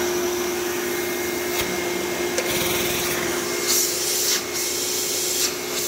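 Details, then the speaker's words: Thunder vacuum obtained in a trade, with a very dusty motor that puffed out dust on startup: a steady high-pitched motor whine with an even airflow roar. The motor runs smooth, like new. "so these phantoms are just at least the thunders are just tanks like i can't imagine how much dust and crap is in the motor and it still sounds like a brand new thunder"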